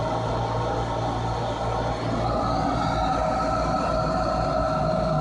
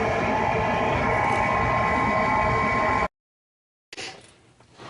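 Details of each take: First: Furnace with a newly replaced draft inducer motor (old one squealed and failed to start): smooth, steady motor hum with even tone, no rattle, scrape or bearing growl; running normally. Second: Furnace draft inducer motor that squealed and failed to start; a replacement capacitor helped only briefly: a steady motor roar with a thin constant squeal from the failing motor, before the whole inducer is replaced.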